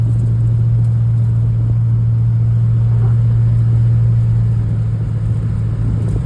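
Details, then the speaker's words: Cadillac CTS-V V8 with new heads, cam and tune, driving after the failed ignition coil was swapped for a Camaro coil: a deep steady drone pulls smoothly under load with even firing, no misfire; normal running. "So, okay. So, we got the CTS-V fixed. I'm taking on a test drive. It's not misfiring anymore."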